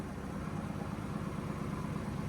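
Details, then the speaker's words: Drift car after tightening three loose spark plugs to cure a slight misfire, solid-mounted engine: even steady low idle rumble with no stumbles or misses; runs smoothly, shaking a bit from the solid mounts. "looks like it's shaking a bit but it sounds smooth [Music] yeah it sounds alright"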